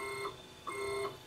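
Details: Wanhao Duplicator 6 3D printer with undamped NEMA 17 stepper motors, before fitting stepper dampers, axis moved up and down. A steady high-pitched stepper whine comes in bursts as the axis moves, then stops; loud stepper motor whine.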